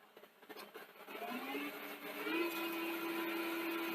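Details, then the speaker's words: Akai VR-X475EGN VHS deck in fast forward whirs up to a steady, even tone, now normal; earlier it knocked, with a damaged or fouled gear tooth suspected, plus a known clutch problem. "mean fast forward seems pretty good now"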